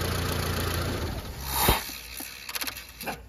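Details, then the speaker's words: Mitsubishi Lancer Cedia 4G18, after a fuel pump replacement and ECU reset: as the engine shuts off, a few soft clicks and a brief whir follow. This is the normal sound of a working idle air control valve resetting. "Yun. Yun ang tunog ng working na IACB mga padi. Maririnig nyo yung tunog na yan. Maririnig nyo yan lagi."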